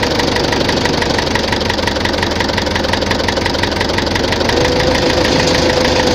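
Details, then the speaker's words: Tractor diesel idling with a steady, hard knock about four per second, heard at idle and mid revs but not at high revs; fuel pump and injectors tested fine, teardown found heavy wear in cylinder 4. "Щось у тракторі стукає. Топлівний возив, форсунки возив, не воно. Що? Буду розбиратися. На оборотах не чуть його, а оце на холостих, на середніх."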